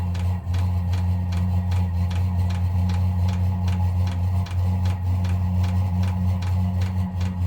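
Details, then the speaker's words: VEVOR 8kW diesel heater installed in a Freightliner Cascadia, warming up: a steady low exhaust rumble with the fuel pump clicking about once or twice a second. Normal running. "So as you can hear it clicking, that's the fuel pump. You can hear the exhaust."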